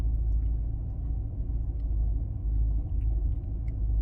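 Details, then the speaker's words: 2005 Maserati Quattroporte, 4.2 litre V8 Ferrari engine, warm with the cooling fan running: smooth, even idle; slight jumping, possibly plugs, fuel delivery or injectors, but smooth enough. "And it seems to be idling okay. jumping slightly, but that just feels like it could be plugs or fuel delivery or something like that."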